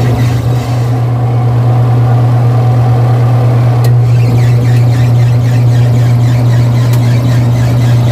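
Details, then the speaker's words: Twin-tub washing machine rewired with a homemade dual capacitor after the original 4-wire capacitor's dryer section weakened: loud, steady low hum from both wash and dryer motors, even and unbroken; both work, extra noise from the empty tub. "Yan mga teknik, working siya parehas. Dual capacitor yung ginawa natin."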